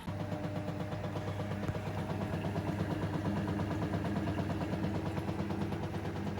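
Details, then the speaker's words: Samsung Ecobubble washing machine after cleaning the coin trap and pump filter, running a rinse cycle with spin speed turned down: steady low rumble with an even thump about three per second as the drum turns. All 5 rinses complete normally. "So it's done all 5 rinses, no problem. Seems to be working fine."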